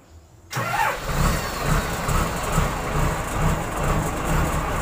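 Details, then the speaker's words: Komatsu wheel loader diesel after fixing alternator IC regulator/rectifier fault (dash lights stayed on with key off, no crank): cranks briefly, catches quickly, settles into even steady idle; normal start. "Oke teman-teman ya, langsung saja kita coba tes hidupkan."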